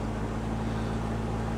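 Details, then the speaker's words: Auction Corvette V8 with low coolant, no mass airflow sensor, idling briefly: deep, even smooth hum with no knocks or misses; engine nice and quiet and runs great, radiator holding; normal idle. "okay and the engine is nice and quiet don't want to let it run too long"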